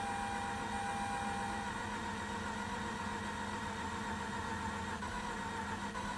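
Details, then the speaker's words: Mazda RX-8, 127,000 miles, no start after sitting four days in freezing weather: long uneven cranking with engine starting to catch in ragged bursts; low compression or bad apex seals suspected, not confirmed. Partial firing during cranking. "oh yeah we're getting something"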